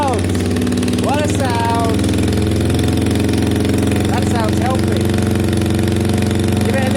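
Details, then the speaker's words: Kawasaki ER5 cafe racer project: steady deep burbling idle with an even, loud open end-can exhaust and no knocks or misses; engine sounds healthy, new baffled cans expected barely quieter. "wow mate it sounds healthy yeah these new cans the new cans aren't going to be that much quieter either"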